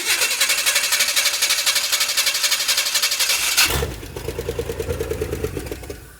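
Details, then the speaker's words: Abandoned 1968 Chevy Impala four-door, long sat, more fuel poured into carburetor: catches and runs ragged about four beats a second for a few seconds, then dies; brief run on primed fuel only, fuel system needed. "I heard it hit. TRY AGAIN. LET'S TRY A LITTLE MORE FUEL. Maybe she's thirsty."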